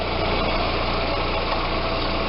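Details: Audi A4 power steering pump after a system flush and fluid replacement using about 1.8 L. Steady even idle, and the pump no longer whines or hums.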